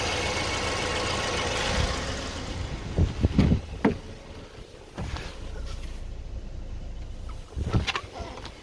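Engine idles with a few irregular, deep knocks that come in short clusters and then fade; an intermittent knock, cause not yet known.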